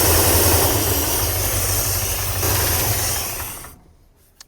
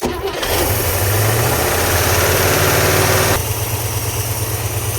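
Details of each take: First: International Scout sitting 18 years, carburetor primed with gasoline, B12 and Marvel Mystery Oil, pump outlet routed to a can; engine catches, runs rough a few seconds, then fades and dies — fuel starvation, pump not delivering fuel, later replaced. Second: International Scout sitting 18 years, after fuel pump replacement (immediately spraying fuel): catches within a second, revs briefly, settles to a steady even idle, a little smoky, carburetor squirters working — normal start and idle.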